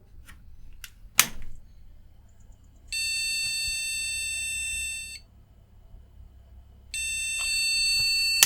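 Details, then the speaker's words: Retro PC motherboard from about 1998 with post card showing C1. Repeating long two-second beeps with two-second pauses, same with RAM removed: memory error beep code. "Sounds like a RAM problem. If we take it out and we get the same code, then it's definitely a RAM problem."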